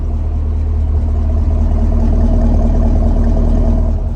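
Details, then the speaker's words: Camaro SS 1LE after a full rebuild from crash damage, final issue fixed: deep, even V8 rumble swelling smoothly with the throttle and settling back, no knocks or ticks; engine healthy. "So yeah, guys, it's pretty crazy. This car was pretty smashed up when we first got it. And now it's looking and sounding better than ever. I mean, listen to that engine right there."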